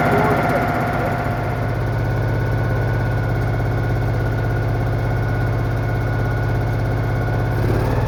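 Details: Citroën Méhari air-cooled engine idling after exhaust leak repair, fan refitted, check before test drive; steady even low idle, smooth regular beat, no ticking or puffing; healthy.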